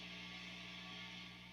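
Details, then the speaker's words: 1973 Silverface Fender Bassman head converted to pre-CBS AB165 Blackface circuit: constant low mains hum with hiss, nothing played; unused channel's volume turned up induces noise, since channels mix before phase inverter; turning it down removes noise. "if you turn up the other channel and turn down the other one you're still gonna you're gonna induce noise like you hear that noise right there"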